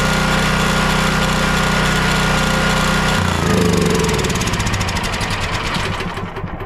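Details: Champion dual-fuel 9375 generator (7500 W rated on gas) after carburetor clean/rebuild or freeing of a stuck solenoid, choke on: catches, then settles to a smoother even beat with no surging; starts and runs well.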